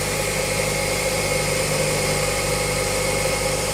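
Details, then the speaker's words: Ford Escape after a belt whistle fault, with the alternator replaced earlier and ground wiring cleaned and remade: steady, even idle hum with no squeal or whistle from the accessory belt drive; normal idle after repair. "так работает машина после того как вы устранили неисправность никакого свиста нет все как бы нормально"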